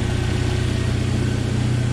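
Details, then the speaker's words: 1997 Jeep Wrangler TJ 2.5L four-cylinder just after full engine rebuild: steady, even idle like a sewing machine with light injector ticking, quiet, no knocks, misses or bad noises; normal idle. "sounds like a little sewing machine so everything is as i wanted it to be it runs good and quiet no bad noises or anything it's just smooth"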